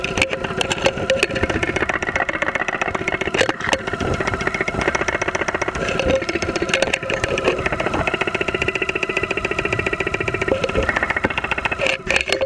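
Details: 2001 Saturn SL2 run with very low oil and unused for two months, heard through a stethoscope microphone at idle with 35-40 psi oil pressure: a steady idle with a sharp, fairly quick knock at a constant rate. Lower-end knock suspected, not confirmed.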